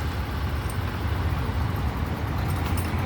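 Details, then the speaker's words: Yamaha Grand Filano scooter, 30,000+ km, after repair of loud engine noise from a cracked valve guide and bent valve: reassembled with fresh engine oil; smooth even low hum at idle, no ticking or knocking, no engine warning light; normal idle. "อ่ะเสียงท่อประมาณนี้นี่สตาร์ทอยู่นะครับก็ประมาณนี้เลยนี่เลยไม่มีไฟเครื่องโชว์นะ"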